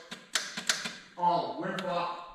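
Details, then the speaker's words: Nissan S14 with an SR20 swap on first start attempt with a jump pack: sharp single clicks at each key turn but no cranking, suspected low starter voltage from a missing ground wire. "i don't know it sounds like it's not getting enough voltage to the startup maybe did you miss a ground wire or something"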